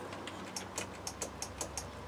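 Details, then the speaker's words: Land Rover Defender 90 with 2.5 naturally aspirated diesel, injector pump just refitted, won't start: dashboard lights on, rapid dry relay clicks, about four a second, with no starter whir or cranking. "You can hear the relay clicking, but nothing's happening. There's lights on, but no one's at home."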